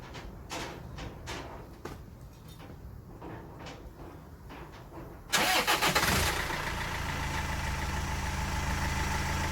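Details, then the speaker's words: Land Rover Freelander TD4 2.0L BMW diesel at first start after fitting a new crankshaft pulley to cure knocking; after some clicks it catches and settles into a smooth, even, quiet idle with no knocking, quieter than in ages, normal idle. "like away that sounds much better i can't remember the last time it was that quiet actually"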